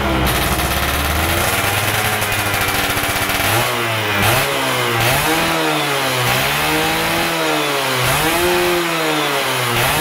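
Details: Stock Yamaha F1ZR 110 two-stroke during wet carburetor tuning, air screw about 2.5 turns out: a crisp idle with quick rev blips that rise and drop back cleanly; the engine picks up smartly, normal.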